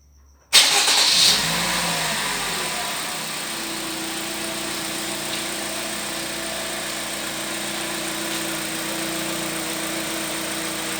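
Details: Toyota Vitz in drive: engine fires, flares briefly, then settles into steady idle under drive load with a faint droning hum at 0:17; cause not evident.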